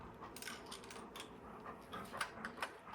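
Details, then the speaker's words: Item bought on Mac Bid, shaken by hand, gives loose irregular clicks and ticks from something free inside the housing; housing doesn't clip together, owner suspects one or two broken pins rattling around. "I don't think it's supposed to sound like there's something rattling inside and it doesn't really uh clip together it kind of falls apart a little bit so I think one or two of the pins are broken in this thing"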